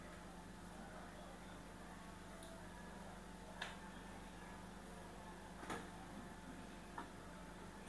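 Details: LG Inverter washing machine after repair of the dL error, not-spinning fault: a quiet, steady motor hum with a few light clicks as the drum turns evenly. It is spinning normally.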